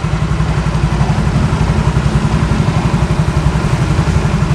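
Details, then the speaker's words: Used 115cc scooter at idle, heard close to the left-side CVT: a steady, even low putter with no knocks or clicks, the CVT sounding cool and healthy, a normal idle. "Aman, nggak ada kelotok-kelotok, nggak ada kelicik-kelicik. Bagus, suara CVT-nya adem."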